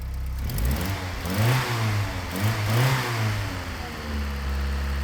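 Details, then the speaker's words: Old Italian sports car that previously stumbled at idle and stalled, started after maintenance: catches quickly, two clean throttle blips, settles to slightly high warm-up idle; normal start and revving. "look at that she actually starts up and it runs"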